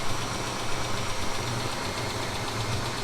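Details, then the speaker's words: 2000 Mitsubishi Montero Sport idling in a garage during warm-up: faint, uneven knock, quieter than on cold start; knock appears cold for about 3-4 minutes then fades, intermittently returning; cause unknown, doesn't seem like hydraulic lifters. "Итак, стук прекратился, но сейчас он может появиться снова, хотя и не так громко, как сначала, но он всё же присутствует."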